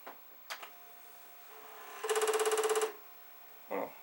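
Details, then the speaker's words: Commodore 1541 disk drive powered on for testing: short burst of quick, even buzzing clicks about a second long over faint motor hum, disk spinning; normal drive head activity. "sound of the law well it seems to be spinning and it seems to be working so far so good"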